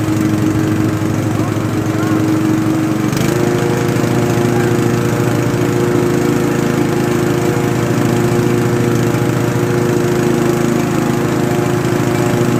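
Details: Restored Craftsman T100 riding mower after belt replacement: steady engine drone, deck spins up and hums evenly with none of the earlier marbles-in-a-steel-drum rattle; normal mower deck operation.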